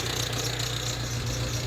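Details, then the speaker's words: Ford Transit Connect diesel, hot, idling after a jump-pack start: faint, rapid light tapping over the clatter, steady rhythm at idle; knocking sounds horrible, source not yet pinned down. "you hear that knocking sounds horrible doesn't it like"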